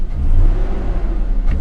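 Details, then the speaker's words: BMW E39 528 with M52 engine and P0335 crank sensor code, three sensors replaced and cold start valve cleaned: deep uneven rumble surging and sagging when revved; hard starting, running rich, cause not found. "let's go ah and turn her off try to start it one more time I bet it won't start or it'll be real shitty off sounds like a freaking train wreck when it starts and you can tell"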